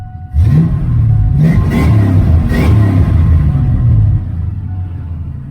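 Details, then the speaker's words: Foxbody Mustang at first startup after an engine swap, stock V8 that may need plugs and wires: a deep rumble that blips up and settles back cleanly with no knocks or misfires. It revs well and sounds healthy. "I mean it's just stock but hey it revs good it sounds good"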